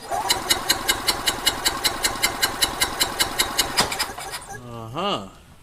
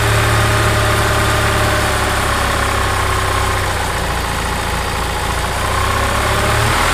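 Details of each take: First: Gas EZGO TXT golf cart engine running rough and skipping, compression test: driver-side cylinder about 130, passenger-side cylinder cranking at about two and a half beats a second shows no compression. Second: Gas EZGO TXT golf cart single-cylinder engine, brought in skipping badly, with worn valves found; it idles steady and even with a firm low thump and no misses or knocks, sounding healthy.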